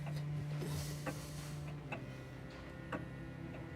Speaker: And that sound, it's gorgeous, isn't it? I mean, I know it's simple, but to me, it just means so much.